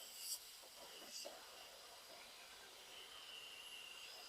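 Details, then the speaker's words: 1926 Oakland Sedan radiator under air pressure: a faint, steady high hiss that changes as the cracked spot is moved or probed with a screwdriver; the leak is a tank cracked from years of flexing, not the newly replaced pipe and ball valve. "oh it's leaking all around in here so this is cracked and you can see this moves back and forth and as I move it changes the airflow so it's cracked right in here"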